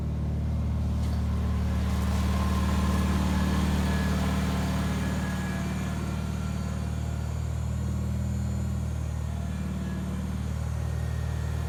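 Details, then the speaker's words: 1974 Bolens HT20 garden tractor on a test run at dusk after replacing a burned-out coil (it had stalled, apparently from a fuel issue): steady, even chug at constant pace with no stalling or surging; running cleanly. "that went pretty well it's good to get the ht20 running"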